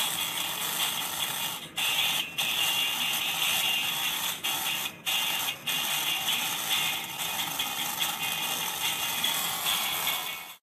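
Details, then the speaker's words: Laptop speakers play thin, harsh and crackly with almost no bass and a raspy buzz; both speaker cones found torn at the edges; torn speaker cone surround. "Di sini saya menemukan masalah baru, yaitu suara speaker laptop ini ternyata sudah terdengar pecah."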